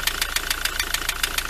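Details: Ford Transit: sharp, even ticking knocks about seven a second over a low idle, still present with the serpentine belt off, so not from belt-driven accessories. Engine knocking noise.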